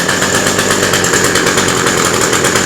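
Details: Cheap two-stroke hedge trimmer started after priming and choking: high, steady buzz holding an even speed with no stumbling or misses, so it runs healthy. A fuel leak is suspected at one part that isn't holding fuel.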